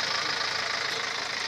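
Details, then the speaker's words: Four-cylinder Perkins diesel running with a strong steady hiss and puffing over the engine note and a little low thump. Crankcase blow-by from worn piston rings. "so viewers as you heard this engine is Blow by this one four cylinder peren engines"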